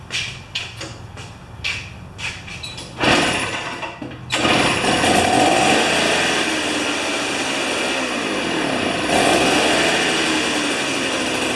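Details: Old two-stroke snow thrower that sat about two-plus years, now running on a 40:1 mix with the choke on. Several pull-cord yanks, then it catches and holds a steady, buzzy, high-pitched run, running fine.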